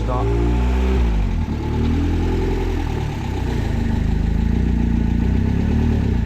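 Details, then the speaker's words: Ford Sierra RS Cosworth, first start after sitting about seven years, not revved hard: rough, uneven revving with light ticking over the low rumble; sounds tappy after long storage. "she was sat for a long time so it's only run AP from the tap say does it doesn't sound fine it sounds a bit tappy tappy"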